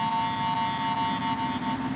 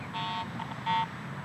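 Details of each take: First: AT Pro International metal detector after automatic ground balancing: only a steady low hum after the first tones fade, with no ground chatter; properly ground balanced. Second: I'm not consistently or even at all picking up a good target signal. I'm just getting ground response because I'm improperly ground balanced.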